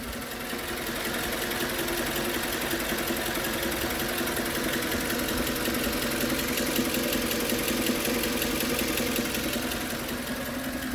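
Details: Suzuki Grand Vitara 2.4 J24B engine at hot idle after long warm-up (20 km or ~30 min): steady loud knock about three beats a second; oil pressure seems fine, no rod or crank play found, cause unknown.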